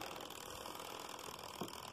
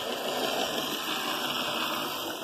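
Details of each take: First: Hornby Class 47 model loco after commutator cleaning and pinion gear greasing: slow crawl with light ratcheting, dry whirr of gear mesh; owner thinks filing moulded writing off the gears will quieten it. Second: Motor of a Hornby Class 47 model locomotive running after cleaning and servicing: a light, even whirr with faint clicking that holds steady. It still needs a further strip-down and cleaning. Normal motor running.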